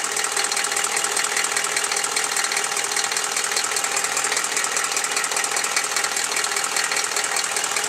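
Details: Chevy 6.5L diesel, warm idle after a throttle blip: sharp, regular clatter about two and a half beats per second over the idle, appearing when warm; owner suspects a valve or rocker arm needing adjustment, unconfirmed.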